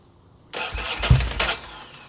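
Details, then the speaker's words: Ducati Monster 900 with a fuel problem, after cleaning and testing the injectors, choke on full and fuel pressure holding: about a second of labored cranking with uneven bursts before it fires; slow cranking and hard starting. "Choke on all the way. Fuel pressure is maintaining. There we go. Got it running."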